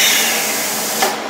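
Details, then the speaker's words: Rossi TC205 AC TIG welder set to 66 amps, on a gas flow test: a steady, strong hiss from the torch continues briefly and then drops away. Gas flow and post-flow work normally even though the welder will not weld. "You can hear the gas flow coming out there, I hope, and you can see that the post flow is working."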